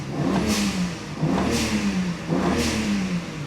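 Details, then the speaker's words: BMW 335i N54 on its first test drive after boost-leak repair, blow-off valves, new intake and walnut-blasted valves: three quick blips to about 2,500 rpm with an airy blow-off whoosh at each peak; healthy. "Oh wow, even just 2,500 RPM. I could hear the intakes in the blow-off valve."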